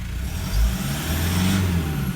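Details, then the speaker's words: 2012 150 Prado 1KD-FTV diesel, about 150,000 km, after new injectors, pilot learn not yet done: low, even diesel idle with no knock or rattle, quiet and normal. "Even without the pilot learn, how quiet's that? Don't get me wrong, it's a diesel, we can get it to make some noise"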